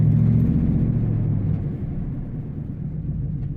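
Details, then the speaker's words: Truck at idle: a low rumble broken by an uneven popping a few times a second; a cylinder misfire. Owner suspects spark plugs and wires or fuel pressure, not confirmed. "Yeah, I can hear a plug misfire, and I can hear it top, top, top, top, top, top. Not sure what's causing that."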